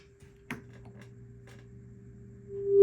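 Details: 1964 Fender Bassman 6G6 tuxedo amp, unplayed since 1992, with noise and intermittent tap-induced buzzing (possibly a tube socket); quiet test tone on the bass channel, then much louder on the normal channel. Weak bass channel output.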